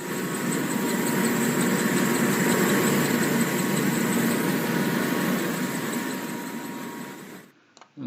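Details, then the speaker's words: Blower V-belt drive with the motor pulley recessed inside the cover and the impeller pulley out, misaligned; rapid chirping squeal over the fan roar as the belt slips, shedding black belt dust and wearing the pulleys. "그리고 이것도 정렬이 안 맞았어요 이쪽 모터 풀리는 지금 커버 안쪽으로 한참 들어가 있죠"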